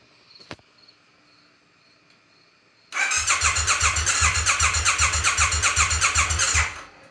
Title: need help diagnosing no start. 2018 triumph bonneville t100